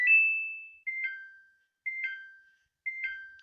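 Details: Samsung washing machine whose Start button beeped twice and would not start, after the hidden button-combination reset: a long tone then short double beeps; the control panel now responds normally and starts.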